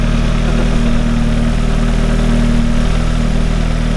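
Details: Audi after the fuel pump, found twisted in the tank, was repositioned: the engine catches and settles into a steady, even idle with a firm low drone and no misses or knocks. Running normally.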